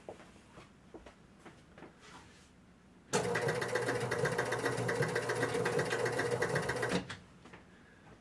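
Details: Spirit of 76 electromechanical pinball with switch P5B deliberately blocked open by paper: fast even mechanical chatter of about four clacks a second for four seconds. The score motor runs, but the player unit doesn't move and the game won't start.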